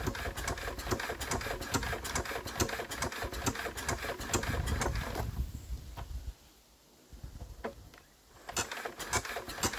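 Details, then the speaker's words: Enfield diesel, suspected hydrolocked; water removed, rack off: rapid cranking chuffs about two per second that stop abruptly, then slow turns, never fires, still tight on compression. Cranking no-start; head removal planned. "I think it's a bit better than it was. Now, still stopping dead, but I think maybe we'll get somewhere."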